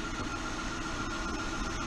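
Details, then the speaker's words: 2001 Honda Odyssey with check engine light flashing, engine idling while coils are unplugged one at a time: rough idle with uneven stumbles every fraction of a second; misfire traced to a bad ignition coil on cylinder 3. "all right so we got the engine misfire go back here unplug number one cylinder and that did make a difference"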